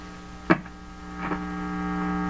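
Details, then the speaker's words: 1940s Canadian Red Cross five-tube radio, odd resistor removed, supply only about 67 V: steady low hum with buzzy overtones that grows louder as the volume comes up; cause not yet found. "the hum is coming right through on the volume"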